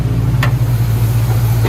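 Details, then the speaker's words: 1972 Chevy Cheyenne C20 truck, revived after 16+ years, idling after a drive: a steady low even rumble with no knocks or misses, purring like a kitten. It's not overheated and oil pressure reads low, but it runs and drives with little power. "Oh my God, it's purring like a kitten."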